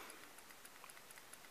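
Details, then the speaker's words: RC Aerodyne 470-size AS350 model helicopter mechanics, checking backlash: faint, light clicking a few times a second as the gear is rocked between the main gear and motor pinion, showing slight play. Normal gear backlash click. "you can hear it's it's hard to hear in a video but you can hear it clicking I have just a little bit of Play Between the first gear and a transmission and a pinion in there"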